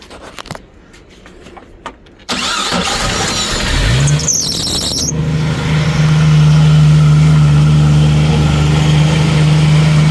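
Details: 1990 Jeep YJ 4.2L 5-speed after a long no-start and battery charging: a couple of seconds of starter cranking, then it catches and settles into a steady, even idle that keeps running, showing power reaches the ignition module under the dash.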